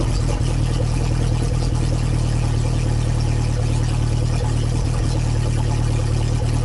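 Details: Lotus Esprit with rebuilt engine at cold idle, open downpipe with no silencer: loud, steady, deep exhaust drone at fast cold idle with even beat, no misses or knocks; running normally.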